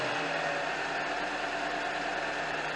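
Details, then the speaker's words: 2001 Honda Accord four-cylinder with an obnoxious belt squeal; after tightening the alternator belt tensioner (other bolts still loose, worn belt), quiet even idle hum with no squeal or chirp; normal idle. "all right so you can see the difference there it's quiet now"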